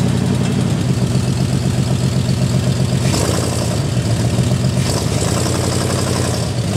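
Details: Jeep M715 army truck converted from fuel injection to carburetor, running after years unused: loud, deep, steady idle with lumpy throb but no knocks or misses; normal idle.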